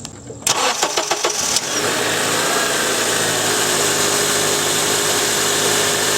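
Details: 2003 Honda Accord 2.4L after serpentine drive belt replacement: a few quick cranking turns, then catches and holds a smooth, steady idle with no belt squeal or chirp; running healthy.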